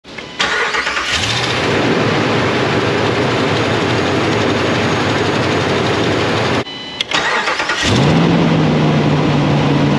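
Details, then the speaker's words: 2016 Dodge Ram 1500 5.7L V8 cold start: the engine cranks and fires with a raspy, whiskey-rattle ticky-tick exhaust noise on startup, from an exhaust manifold leak. "customer States exhaust noise on Startup and we heard like a whiskey rattle Ticky tick tick noise"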